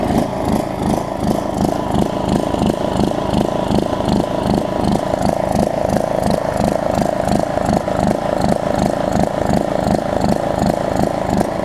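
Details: John Deere LA105 riding mower, unrun about three years, after tank cleanout and carb cleaning, cold about 40°F, carb float suspected stuck and dumping gas: single-cylinder chuffing unevenly about three pulses a second, never settling; surging, running very poorly.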